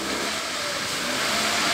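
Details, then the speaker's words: Ford Fiesta 1.6 after a workshop without a torque wrench, impact tool or scanner reassembled the engine and struggled to find ignition top/timing: revving engine sounds uneven and limping, misfire from shifted timing position. "Alhasil kesulitan untuk mencari top end pengapian mobil ini. Rodok pincang suaranya."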